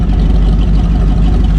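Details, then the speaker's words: 1969 Buick Riviera big block V8, first drive in a long time after brake work, no exhaust fitted: deep, loud, steady rumble with an even beat and no misses; sounds good and healthy but needs exhaust. "Look at it. Sounds good. Needs some exhaust."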